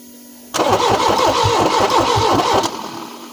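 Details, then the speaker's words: Peugeot 405 Mi16 first start attempt after sitting 5 years: starter cranks about two seconds at steady rhythm with no firing; all 4 injectors suspected clogged, or ECU faulty. "-Once more. -Nothing! -So all 4 injectors are clogged."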